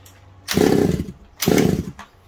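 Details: Secondhand 1/5-scale RC Baja two-stroke after a carburettor and gasket swap; spark checked good. Two short raspy revs about a second apart drop straight back to a faint idle, so it won't rev cleanly or hold speed. Still running poorly; cause unconfirmed.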